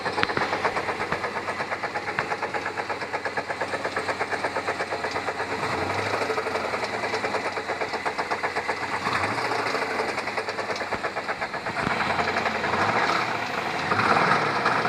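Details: 1996 Chevrolet Tahoe V8 at idle with a fast, steady knock over the engine; rod knock is suspected, not confirmed.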